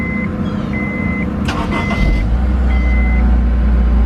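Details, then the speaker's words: Honda S2000 after repairs (alternator bolts replaced, missing intake manifold and header bracket bolts fixed, valves adjusted): low, steady, even idle hum with no rattle or vibration; engine now healthy and quiet. "Hear how much quieter it is? Now it doesn't rattle and vibrate like crazy."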